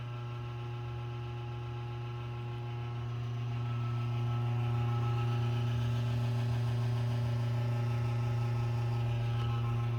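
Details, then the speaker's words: Desktop computer power supply at switch-on: steady low hum with faint higher tones that stops after a while but lasts longer with each startup, a sign the power supply is nearing the end of its life. "é depois de um tempo esse barulho ele para mas como passar das vezes que você vai ligando o computador ele vai ficando cada vez mais longo e significa sua fonte está chegando no limite da vida útil dela"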